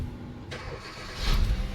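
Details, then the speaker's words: 2012 Hyundai Fluidic Verna petrol with no-start, immobilizer light absent before, P1690 smartra no response: after ECM-side fix, short crank then clean catch and steady idle; normal start. "ఓకేనా vehicle అనేది start అయిపోయింది."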